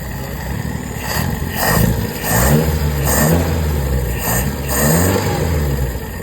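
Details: Toyota KE20 engine idling fast and unevenly, surging about once a second, after the carburetor idle screw was adjusted to steady it; the owner says the carburetor needs further setting.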